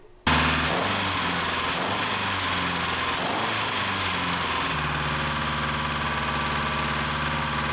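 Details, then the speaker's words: Old car bought off Marketplace, idling on its first long run: a light metallic engine rattle persists and doesn't fade as it warms; carburetors flood (floats suspected sunk); head gasket leak being checked; plugs to be pulled. "the rattling I was hoping it would go away maybe after it ran just a little while it's really not so let's take the plugs out and just take a peek"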